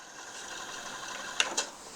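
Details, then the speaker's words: Pioneer CT-777 cassette deck rewinding a 1986 GoldStar HD90 (type I) cassette: soft, even spooling whir with a couple of faint clicks, nothing harsh; rewind is fairly quiet, normal. "Сначала кассета HD90. Перемотка. Перемотка достаточно тихая."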